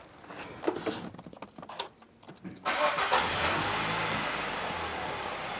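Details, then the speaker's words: Nissan X-Trail with intermittent hard start and P0340 cam sensor circuit code, after reseating cam sensor: brief crank then clean catch and smooth even idle; fault traced to faulty cam position sensor signal. "all right so the car started right up much easier than before"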